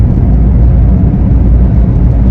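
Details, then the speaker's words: 2005 Vauxhall Agila cruising warm after about 10 miles; deep, steady droning hum under the road rumble from a worn, noisy rear wheel bearing, which is pressed into the rear hub. "as you can probably hear in the video that wheelbarrow is noisy quite bad"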